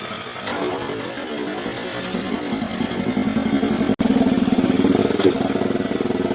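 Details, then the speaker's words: Used Mercury 4/5 hp outboard, about 16 years old, with new carburetor and parts, test-run: fast steady buzz that never drops to a slow tick-over; idle too high, to be adjusted at the throttle linkage. "i got to work on that idle that's too high"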